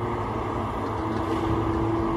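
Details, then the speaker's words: Tigercat 830 with a new swing gearbox fitted last week: steady machine drone, then a clear mid-pitched whine rises as the upper swings; the noisy new swing gearbox has failed. "y'all pay close attention to the 8:30 and let y'all can see if y'all hear a funny sales when he swings hurt"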